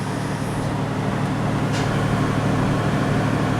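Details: 1996 Toyota 4Runner V6, 235k miles, no codes: steady high idle around 1500 rpm with no hunting; coolant only 140–143°F, not warming up, thermostat suspected stuck open; TPS reading 11.3 also questioned.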